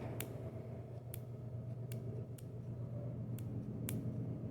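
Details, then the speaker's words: Bench-top points ignition on a jump box: as the distributor cam spins, points snap open about once a second, collapsing the charged coil's field to make a spark; sharp clean clicks. Normal points ignition operation. "can see and hear the points contacting, and every time they open, it's dropping the EMF in that coil pack, and you're getting a spark."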